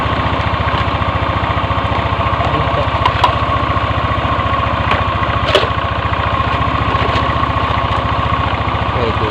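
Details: First-generation Yamaha NMAX whose new fuel pump would not hum: fast chuffing idle of about 3–4 beats a second, weak and ready to stall, barely keeping running; unstable idle.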